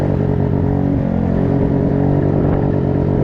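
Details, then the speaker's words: 2020 PMZ50 Honda Grom clone, 139QMB GY6 engine, theft recovery, wide open throttle uphill: rough uneven drone with power dips; owner says spark cutting in and out; sputtering under load. "You hear that? It's sputtering. That's the spark cutting in and out."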